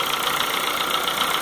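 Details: 2004 Honda Fit 1.4 LXL gasoline CVT automatic at warm idle: quick, even sewing-machine ticking from the top end, fading at high rpm and nearly stopping when put in gear; cause unconfirmed.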